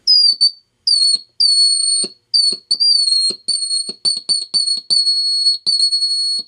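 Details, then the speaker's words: Magnescriber Deluxe model 160 wire recorder, most capacitors replaced, volume turned up high through its own speaker: a piercing whistle in repeated bursts, sliding slightly in pitch, from acoustic feedback; it doesn't occur through headphones. "now when you run it through a headphone it it doesn't do that but when you don't want it through its speaker for some reason it does that"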